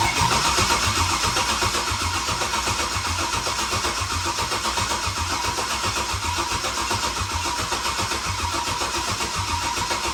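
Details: Turbo Silverado V8 tuned on E85, after #7 ring land failure, rebuilt with new gapped rings and ARP rod bolts: steady even idle with firm regular pulse about four per second, no knocking or ticking; healthy, normal idle.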